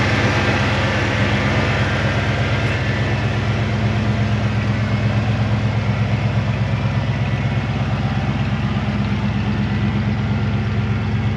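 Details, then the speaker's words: 1990 Ford F250, fuel-injected 5.0L V8, barn find unrun for a couple of years, running after petrol was added to the empty tank: steady, even low V8 idle with a smooth regular beat, no knocks or misses; normal idle. "Well, all I needed is some petrol, some go-go juice in the tank, and she fired off."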